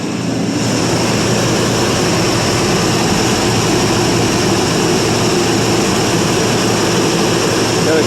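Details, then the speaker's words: 1984 Chevrolet Suburban 4x4 V8 cold start after about three years sitting; steady even roar without misses, surges or knocks, burning off oil from valve cover, mouse-nest smell; running smoothly. "well considering 3 [Music] years sounds like it's got a sounds smells about like Mouse nest"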